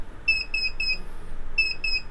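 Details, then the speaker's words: MET Explorer 900 Tandem electric scooter, magnetic brake disengaged, horn pressed for diagnostics: three short high beeps, pause, two more; controller signaling fault code 32 from the fault list. "вот этот звуковой сигнал помогает определить неисправность при диагностике есть список неисправностей"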